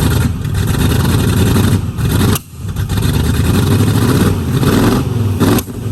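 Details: 1969 Mustang V8 that sat 15 years, after new solenoid and voltage regulator: loud uneven lope with drops and pops every few seconds, a miss with spit-back through the carburetor; owner suspects timing slightly off, not confirmed.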